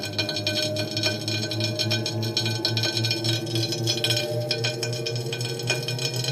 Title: TACX Neo grinding noise on disk - NO CASSETTE